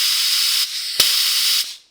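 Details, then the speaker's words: 2012 BMW K1300R at 69,000 km, during valve clearance service, vacuum applied to the cooling system: steady high airy hiss about two seconds, air drawn in through the open middle hose that must be clamped off. "and if you listen carefully you'll hear a hiss sound and that hiss will be coming from Air drawn up through that hose there so you have to clamp off that hose and it should be the middle one"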